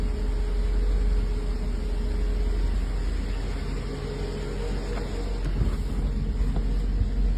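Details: 1984 Mercedes 380SL after its original 40-year-old ECU was replaced with a new-old-stock unit (the oxygen sensor had been replaced earlier) to cure rough idle and black smoke: a steady, smooth, even idle with no misses or stumbles, slight discharge at startup and no black smoke.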